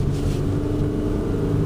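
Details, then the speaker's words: 2015 Toyota Sienna 2WD, about 30k miles, on Michelin Latitude snow tires driving on snow and ice: a short, steady, mid-pitched whiny motor noise over tyre and snow rumble as traction control kicks in, dash light flashing; normal operation. "Off so you can hear the traction control. It's a little hard to hear, but it's like a whiny little"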